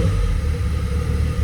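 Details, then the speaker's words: Fully stock, unremapped Audi RS6 V10 engine idling: starts, drives, smooth steady rumble with a faint light ticking ("a bit ticky ticky"), otherwise healthy; normal idle with slight valve tick. "it starts which is good. It drives. It doesn't make a noise. It is also a bit ticky ticky."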